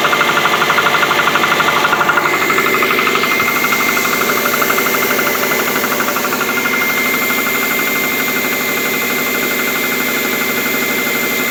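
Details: Subaru at 82,000 miles, cold start at 57°F: steady light rapid knock, two to three per second, over engine clatter, quieting as it warms and louder in colder weather; owner suspects piston slap, which the dealer called not harmful.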